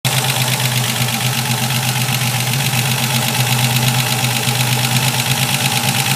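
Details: Ford Capri 2.8i V6 idles steadily under a rough, gritty grinding with a fast, uneven rasp running throughout; grinding noise at idle.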